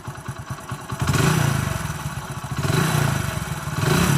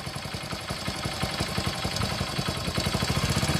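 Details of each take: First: Telugu mechanic's reference bike with no smoke: even single-cylinder putter at idle, then smooth, clean rises and falls in revs with no knocks or rattles. The engine is in perfect condition. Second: A second bike with no white smoke from the silencer, just after starting: a quick "galagala" metallic clatter at roughly three per second over the idle, rattling inside the engine. A worn timing chain with valve noise.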